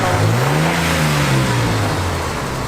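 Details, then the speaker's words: 1990 Ford F-150 XLT Lariat, straight six: smooth engine note climbs and falls evenly under revs with no knocks, misses or ticking; sounds healthy. "The XLT Lariat, Andre. Sounds healthy. Sounds like a charm. Yeah, sounds healthy. Nice."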